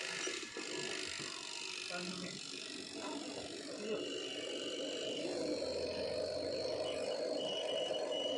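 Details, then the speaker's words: Washing machine spin dryer after oiling the dryer motor seal to cure loud noise: steady even whirr with no scraping; the light ticking comes from the timer knob's mechanism; normal smooth spin. "देखिए कितना ज्यादा smooth हो चुका है और इसमें जो टर की आवाज आ रही है वो इस बटन की आ रही है।"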